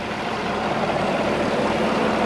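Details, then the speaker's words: 2015 Chevy truck with a replacement 5.3L V8, fresh Castrol Edge 0W-20, still smoking from burning off residue. Smooth, even idle with no knocks, ticks or misfires; sounds healthy. "she sounds pretty good she sounds good all right she runs and drives good"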